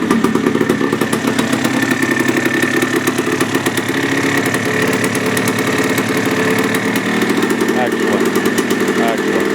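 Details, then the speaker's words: 1980 Yamaha IT175 two-stroke enduro after top-end rebuild (rebore, new piston) to cure piston slap; crisp even idle with steady popping beat, piston rattle gone; any remaining rattle when warm attributed to clutch. "I like it. It sounds so good. That rattle is gone."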